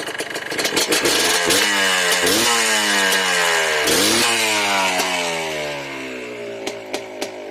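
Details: Yamaha Blaster two-stroke ATV, smoking that needs clearing out, with a ruined carrier bearing and worn chain (not engine): repeated crisp blips up and back to idle, no misfire or bog; normal revving.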